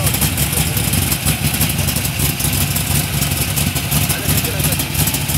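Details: LS1 V8-swapped Datsun 240Z: loud, lumpy idle with an uneven, loping, stumbling beat instead of a smooth steady pulse; rough idle, cause unclear.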